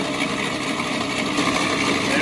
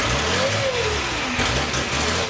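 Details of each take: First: 1941 Plymouth Special Deluxe flathead, first run in 50 years after freeing stuck valves, oil pressure showing on gauge: steady, even busy whirr and clatter with no knocks or misses; sounding healthy. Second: 1941 Plymouth Special Deluxe flathead barn find, rebuilt carb, no fuel supply, fuel poured into carb: cranks and catches, runs ragged and uneven, stumbles, nearly dies, picks up again; fuel starvation.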